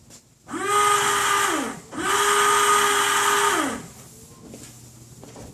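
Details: 1995 Toyota Tacoma, 235,000 miles, windshield washer pump activated: two 1.5-second bursts of steady buzzy mid-pitched whine; reservoir possibly empty or leaking from cracked reservoir or hoses, or pump bad, cause unconfirmed.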